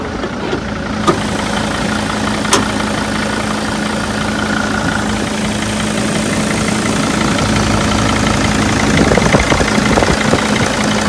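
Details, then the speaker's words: 2002 Mercedes Sprinter T1N diesel, 118,000 miles: steady, even idle with smooth low hum, no knocks or misses; sounds healthy for its age. "must say that sounds really good for an o2"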